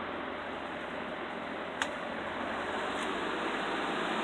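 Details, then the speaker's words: Custom Toastmaster box fan (Air King knob and cord) on second speed; steady, even airy rush with no rattle, ticking or wobble; a strong fan running normally. "It's a really strong fan too. It's probably one of my most powerful fans I have in my collection."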